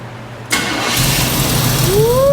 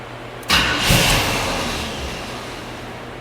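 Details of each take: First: Fire-damaged 1984 Chevy C10 with carburetor starting after ignition module replacement restored spark; starter cranks briefly, engine catches cleanly and settles to even idle, no misfire; normal start, to be warmed up. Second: Fire-damaged 1984 Chevy C10 cranking but not starting, only one spark then none; three roughly two-second cranking bursts, engine turns over evenly but never catches; ignition module suspected, replacement fitted afterward.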